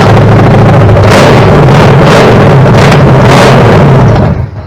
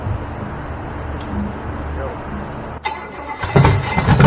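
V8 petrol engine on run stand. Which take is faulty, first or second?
first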